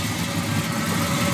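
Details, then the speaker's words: Chevelle with a 454 big-block gear-drive V8 swapped from a Suburban, on first fire-up, burning oil off the headers. Even, steady, deep idle with a crisp gear-drive sound and no knocks; a normal idle. "you hear that gear dve crisp nice and crisp look at the oil pressure"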